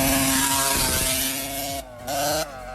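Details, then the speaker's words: 2002 TM 125 MX two-stroke motocross bike, bought used and ridden before repair, stalling a lot with a very high idle: high ragged buzz that drops off and surges back unevenly, erratic running with high idle. "Vous allez entendre, si vous y connaissez un petit peu en motocross, que la moto tournait pas vraiment normalement, elle calait beaucoup et le ralenti était vachement haut, donc je vous mets juste un extrait maintenant."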